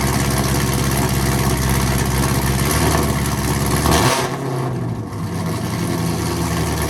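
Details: 2016–2020 Camaro SS V8 after installing a Rev 9 axle-back exhaust with factory muffler removed; earlier suspected lifter noise was an exhaust leak: deep, even rumble, loud steady exhaust note; normal idle.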